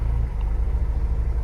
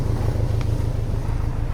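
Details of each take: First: 2000 Honda S2000 after fixing a long-standing misfire problem, warm idle at about 800 rpm, in spec: low, steady exhaust pulses with no popping or stumble; engine running smooth as glass. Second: 2000 Honda S2000 track car with misfire codes for two years, listened to at the back: steady low exhaust pulse at idle with a faint occasional stumble, only intermittent; suspected misfire from tight valves.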